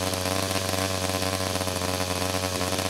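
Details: 49cc/47cc pocket bike two-stroke at first startup after carburetor replacement for a non-running condition, low on fuel: steady, crisp buzz holding an even note with no misses or stumbles; running cleanly.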